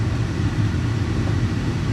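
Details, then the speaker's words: 2014 Audi A4 after replacing the loud failing blower motor, with the car off and the fan at low speed: a soft, even rumble with no droning hum or rattle; the replacement cured the loud hum. "But that seems to have solved the problem. Replacing that fan, got rid of that loud hum sound."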